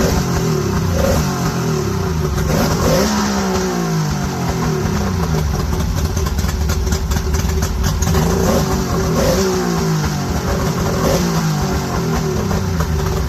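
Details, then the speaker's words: Mercury 50HP two-stroke outboard bought on Marketplace, first start with temporary battery cables: fairly steady idle with a slight wavering buzz and no knocks, seemingly idling alright. The carbs may need cleaning. "Just glad to hear it running. Seems like it's idling alright."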